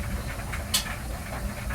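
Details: Whirlpool gas water heater after draining, flushing and refilling, thermostat set between low and hot: low, even gas flame roar with soft hissing and no popping; burner lights and runs normally.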